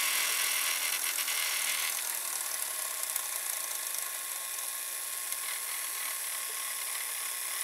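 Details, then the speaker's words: Panasonic PV-V4660-K VCR, owned since 2012, belt replaced by a rubber band; it sometimes slows, possibly due to the band. Rewinding to the beginning: steady high whir with light fast ticking and slowly falling motor note; smooth, no binding. "but it works fine if we're going to the beginning"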